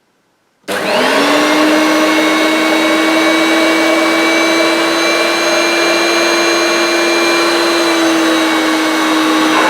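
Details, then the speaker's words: New unused 1990s Hoover Turbomaster U5096 vacuum, power turned up: steady motor whine at even pitch; owner first thought it a bit sluggish, suspects it might benefit from a new belt, but it's fine. "initially I thought it was a bit sluggish I still think might benefit from a new belt fitted but yeah it's fine"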